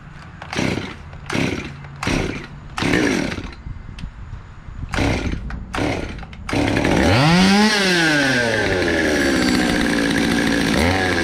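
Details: Cheapest chainsaw from Amazon, two-stroke, after amateur porting and a quick tune: several pull-start cranks, then it fires, revs up sharply, drops back and holds a steady high buzz, running cleanly.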